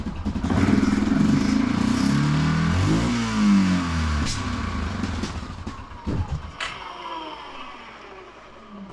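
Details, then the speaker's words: Neglected Yamaha Grizzly 660 ATV, idling without choke: single thumps with a loose, lumpy idle that wavers and fades, plus some clatter. Rough running, cause not yet found. "Okay, it's got a little something something going on. I want to see if that'll uh iron out."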